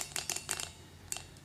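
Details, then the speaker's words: Gatling Stirling engine after broken liner replacement, spun by hand before fueling: quick light metallic clicks and rings, all 6 displacers ticking freely back and forth; displacers clicking normally. "go around, test all 6 of them to verify that all 6 displacers are clicking back and forth. Now these are all connected, and I can hear all 6 of them ringing."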